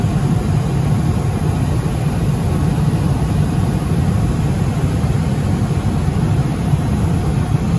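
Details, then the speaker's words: Johnson Controls/Unitary Products residential gas furnace after a no-heat call (flame lit ~3 s then dropped out, seven-flash ignition retry lockout), now serviced: steady low even rumble with no surging, cutting out or rattles; holding its burn normally. "as you can see still running so we are good to go"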